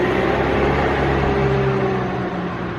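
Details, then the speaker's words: 200k-mile BMW E46 320d Touring, M47 diesel, warm idle at operating temperature: fast buzzy rattle about four per second over a steady idle; the engine sounds pretty good and there is a known exhaust leak, downpipe flexi suspected. "Okay, so the actual engine then, as you are about to hear, sounds perfect. The rattle that you can hear is the exhaust."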